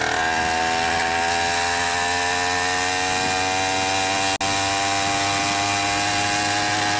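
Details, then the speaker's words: Rebuilt 100cc two-stroke motorized bicycle engine with 49mm iron-sleeve bore and an untuned, rich carb, a little past three-quarter throttle. Steady high buzz with a rough, uneven edge; it is heavily four-stroking. "it and it starts four-stroking real heavy. That's not full throttle because full throttle is slower. This is like a little past three-quarter throttle."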